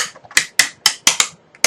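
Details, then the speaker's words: Die-cutting machine feeding a die sandwich through its rollers: six or so sharp creaks, cracks and pops over two seconds, normal die-cutting noise. "Creak, creak, creak, creak, crash. That's a pretty good mic, so it's probably going to pick up all those little creaks and cracks and pops and whistles, and here we go."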